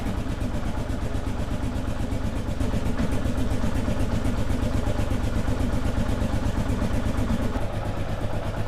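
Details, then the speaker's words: 2001 Kawasaki KLR650 single, just started after sitting 4 years (new battery, spark plug, cleaned carburetor), warming up: even thumping at a steady idle, no misses or knocks, faint squeak typical of the model; running fine. "Sweet deal. We'll let it warm up a little bit. Sounds okay. Sounds like a KLR. It's got that little squeak."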